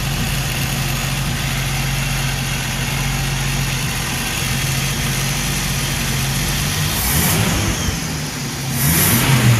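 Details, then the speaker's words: Ford 250 inline six in a Willys sedan delivery, first start 15 years after install, after choke adjustment and timing: even, steady idle with no misses or knocks, then a short rev rise; lifters were noisy earlier; smooth running engine. "so now the choke is adjusted timing was suggested and the valves have had a chance to come back to life so this is the ford maverick 250 after 15 years of"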